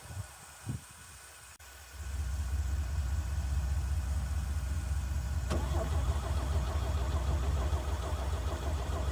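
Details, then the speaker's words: 1965 Chevy C50 grain truck abandoned for years; steady starter cranking at about 2.5 turns per second that never catches. The fuel filter shows no fuel, and the owner suspects a fuel line leak is starving the engine. "Okay, I'm thinking there's a leak somewhere and that's why it's not pumping because it's not getting any fuel. whatsoever."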